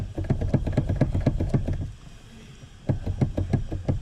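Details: Dull clunks in quick bursts, about three a second, stopping and returning; knock somewhere in the steering column. Cause suspected, not confirmed.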